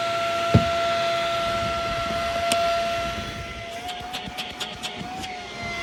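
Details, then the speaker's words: Shark Rocket HV301 stick vacuum, trash find that was clogged, run after filters washed: steady even motor whine holding one pitch, no surging or choking; much better, running normally. "Let's turn it on and see if that made any difference. Much better."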